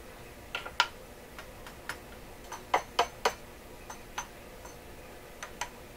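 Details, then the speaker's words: Deforest Crosley shortwave tube radio after IF alignment to 456 kHz: irregular sharp clicks and crackles when a tube is tapped, as if something is loose. A noisy tube is suspected, not confirmed. "Be fooled by a noisy tube. When I tap it, it makes its own noise."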